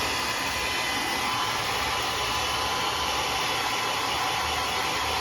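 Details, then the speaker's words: Tony Pro 3000 hair dryer, 220 V, 1200–1400 W, reassembled after a drop caused knocking: steady, even rushing hiss with no knocking or rattling. "aí já não tá fazendo mais, né?"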